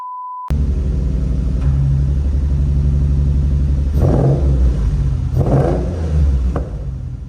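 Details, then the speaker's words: Nissan 350Z before an injector swap, ran fine in the morning but rough after a restart: uneven, lumpy beat with irregular stumbles in the exhaust; owner suspects an injector not firing. "guys so as you can see here it it does not sound all that great um it definitely sounds like that definitely sounds like an injector is not firing when it's supposed to or it's not functioning at all it's supposed to sound a little bit smoother than this"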